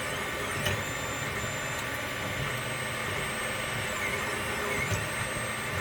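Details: Wanhao i3 mini 3D printer: faint stepper whirring with sliding high-pitched sweeps and odd pauses after each layer or feature change; the Z-axis also lifts very slowly after prints. Unchanged after a firmware upgrade; owner suspects the Cura 4.1.0 update.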